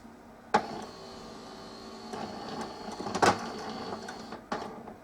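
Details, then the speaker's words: Melitta Caffeo CI coffee machine, heats but no rinse: steady low pump buzz with sporadic clicks and clunks, no gurgle of flowing water; owner suspects no pressure builds in the system, Start System light keeps returning; pump runs but delivers no water. "так друзья вода у нас так и не полилось промывка не получилось и опять у нас горит star system"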